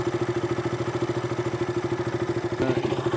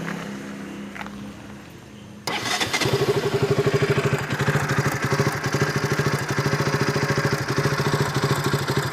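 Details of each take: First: KTM RC 200 single-cylinder idling after repair of stalling, unstable idle and a spark-like snapping sound; now even steady thump, no RPM variation, no ticking or snapping. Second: KTM RC 200 single-cylinder, recorded before repair: starts and idles unevenly with a tick-tick spark-arcing sound; it stalled at idle and when the clutch was pulled; the cause was a loose spark plug cap.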